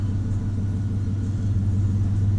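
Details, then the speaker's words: 2002 Chevy Silverado 1500, warm, before budget tune-up (fuel filter, plugs, wires): deep steady idle rumble without misses but sitting low; low idle speed, cause suspected, not confirmed. "I guess it's warm already, but the idle is kind of low already."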